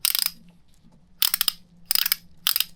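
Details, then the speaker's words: Sailboat winch that had been having trouble, after servicing that cleared gunk (still needs oiling): four bursts of crisp, even pawl clicks with clean silence between; the winch now ratchets properly. "Sounds good now. It still needs to be like oiled and stuff, but it sounds certainly better."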